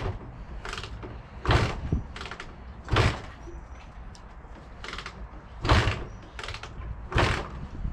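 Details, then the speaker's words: Barn-find Honda MTX200 two-stroke, oil pump disconnected, choke on, spark and fuel present: about six heavy kick-start thumps in eight seconds, each a dull clunk with no firing or catch; won't start, cause unknown. "it's not starting yet need to have a look"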